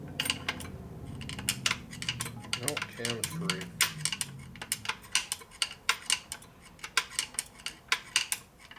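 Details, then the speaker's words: 1961 Harley-Davidson XLCH Sportster engine from a fresh no-miles rebuild, turned by hand; light, uneven metallic clicks and clunks as the cam moves side to side, camshaft end play free. Rotation got stiffer; pinion shaft possibly out of true suspected. "You hear the cam moving side to side."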